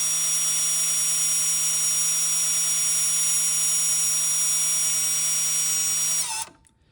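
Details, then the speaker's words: 2020 Audi Q3, 58k miles, rear brake pad change: electric parking brake caliper motor on 12V supply, steady high whine for about six seconds then stopping cleanly, retracting normally after polarity swap. "Okay, yeah, so it's retracting. So I'm going to let it run till it stops."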